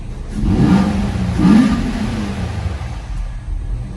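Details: 2018 Nissan Maxima after cleaning debris from the mass airflow sensor and new air filter: two quick blips pick up crisply and settle smoothly, no stumble or backfire; rough idle and hesitation fixed.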